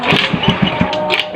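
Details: Honda Beat carbureted scooter, cold, unused for a long time, started after warming; short bursts of firing that catch into a ragged, uneven run; engine starting after long storage.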